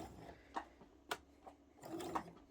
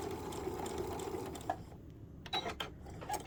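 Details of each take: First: Sewing machine with presser foot plate thought to be set too far forward: quiet running with sharp irregular clicks about twice a second; owner suspects the needle is hitting the presser foot, plan to move the plate back. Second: Sewing machine after repair (foot plate fixed and bent needle replaced): short runs of quick, even stitching with pauses, no needle click; normal stitching.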